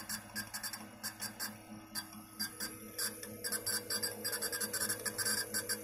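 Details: Old Western Digital 250 GB hard drive making irregular dry crackling, creaking clicks (about ninety a minute) over a faint hum, mainly when reading many small photos or booting; not detected on another computer; cause unclear, owner will replace it.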